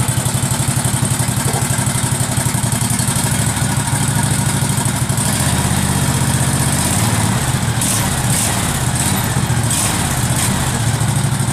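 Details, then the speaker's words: Case 446 tractor, first start during restoration after rewiring the ignition and getting spark, carburetor solenoid clicking, no throttle fitted: even low-speed thumping, steady beat, no misses or knocks, normal low idle. "theoretically I don't have any throttle so it's at low idle"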